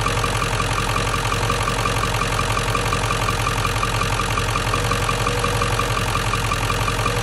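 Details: 1997 Ford F-350 7.3L Powerstroke diesel, 164,000 miles, run with the belt off after finding a fried alternator bearing: even, regular diesel clatter at idle with no separate knock; engine sounds normal.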